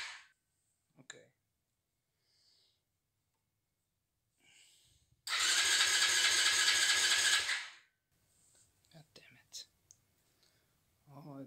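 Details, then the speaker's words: Never-started 110cc pocket bike on 13-year-old blue factory fuel, choke on: quick, even starter chuffing, about three and a half per second for two seconds, with no firing. Cranks but won't start; old fuel is blamed. "it's not starting, but it shows signs of life."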